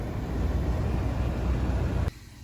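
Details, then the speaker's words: Nissan Sentra heater blower motor just replaced without dash removal, key on, switching between high and low: strong even airflow rumble, then drops sharply as speed changes, no rattles or squeal; blower healthy after repair. "just turn the key on and yeah it's working all the speed from low to high yeah you can hear now at High low good"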